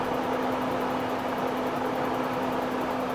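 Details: RV propane furnace in a cargo trailer, run from a Yeti 1250 solar generator: steady blower rush with even hum, no burner whoosh; fan runs but burner never lights, faulty propane tank valve suspected. Furnace blower runs but burner does not ignite.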